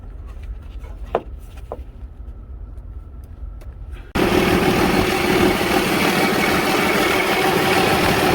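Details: Cummins diesel in a Freightliner truck that wouldn't start, after a new fuel pump is fitted and fuel is sent to the rail: quiet clicks, then it catches and settles into a steady, even idle with no misses or knocks.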